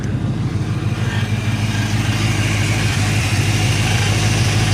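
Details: 1995 Ford Mustang 5.0 V8 just started after sitting about four months: it settles into a steady, even idle with a smooth low rumble and no knocking or ticking. Normal idle.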